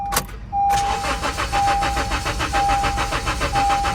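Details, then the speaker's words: Natural-gas (CNG) Honda Civic, ex-fleet, with the CNG system past its yearly inspection: the starter cranks at a steady rapid beat with a chime pinging about once a second, but the engine never catches; crank, no start. "Crank, no start."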